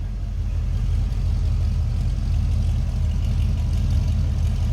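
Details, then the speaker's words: 1974 Ford F100 Ranger XLT with 460 V8, recorded from the rear at the tailpipe; deep steady low rumble with no misses or ticks; normal idle. "good sounding truck remember that 460 underneath the hood too that should have a nice little rumble to it"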